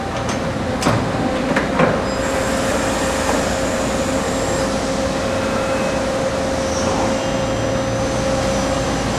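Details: 1986 Okuma & Howa Millac 4VA CNC vertical machining center, Fanuc 11M, running an auto-mode demo program with tool changes, different spindle speeds and axis moves: steady mid-pitched spindle hum with short early tool-change clunks; runs smooth, normal.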